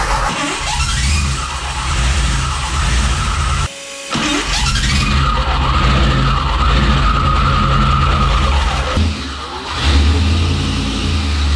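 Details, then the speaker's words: Gen 1 HEMI on a dyno, fitted with a mismatched starter that doesn't line up with the flywheel: a loud running engine with a harsh metallic whir and grind as the starter gear rubs the flywheel. Spacer washers were tried; shimming is still needed. "the only issue I got right now is that the starter doesn't line up perfect with the flywheel so I gotta find a way to shim it and get away from these noises that it creates"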